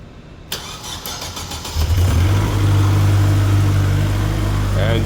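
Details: Tennant M20 sweeper, Vortec 1600 engine, restarted the day after a head gasket replacement with no coolant lost overnight and no oil burning: a short crank catches quickly and settles into a smooth, even idle without misses or knocks, a healthy start.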